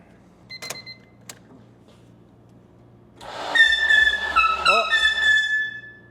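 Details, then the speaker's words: K24-swapped EK Honda Civic cranked with the spark plugs removed. The starter spins it with no firing while shrill, wavering whistles rise and fall as air rushes out the open plug holes past the rubber stoppers. "That sounds like it's pumping air in and out. >> That was air coming out of the holes. >> Okay. Well, that's interesting. It was whistling past the little rubber stoppers on the thing."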